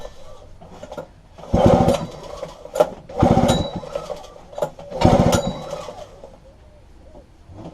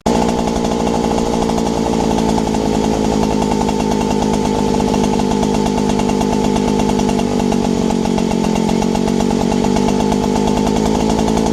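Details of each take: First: Robin EC10D 98cc Japanese two-stroke stationary engine, flea-market find, fuel poured down the plug hole after cleaning points and condenser: three pull-start strokes, never fires; spark present, owner suspects plug or low compression, fuel in tank rotten. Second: Robin EC10D two-stroke engine, after points and condenser cleaning, carburettor clean and fuel tank flush, with the throttle turned down a little: steady, even running without misses or surging, normal running.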